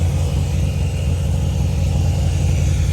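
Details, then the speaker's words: 1998 supercharged Honda Prelude, after flipping two distributor wires: a low, lumpy, uneven chugging idle like a tractor. The engine runs rough, likely misfiring, with cylinder two's injector suspected of not firing. "It sounds like a tractor though."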